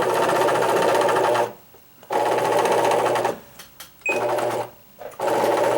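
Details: Singer Quantum XL1000 computerized sewing machine, donated, too noisy to use, run without thread: harsh gritty grinding in short bursts each run; main motor bearing shot.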